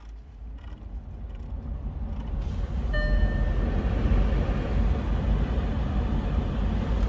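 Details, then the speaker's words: Audi Q7 (4L) heater blower after fitting a secondhand replacement blower motor, tested from inside the car: fan spins up over a few seconds into a steady airy rush with faint motor hum; blower working normally. "it's working I know you can't see anything I can't see anything either but hopefully you can hear that fly heating system in this car car yeah okay I'm going to call it a success"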